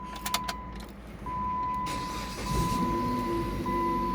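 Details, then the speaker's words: 2008 Jeep Patriot after installing new battery terminals, previously often failing to start: key chime, a brief crank, and the engine catches promptly into a steady idle. Normal engine start. "Perfect. It started better this time cuz last few times it's not been starting at all."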